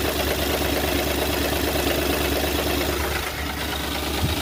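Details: Ford 4.6L V8 in a 2010 Crown Victoria idling with a light, uneven tap of about three a second from a loose timing chain; the plastic chain tensioners commonly break on these engines.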